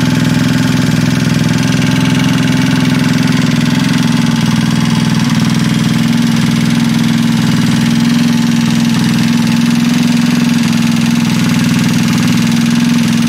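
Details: Freshly assembled Trailmaster 150 stroker single-cylinder engine with cleaned head and valve job: steady, even idle with smooth low hum, no knocks or misses; healthy and settled.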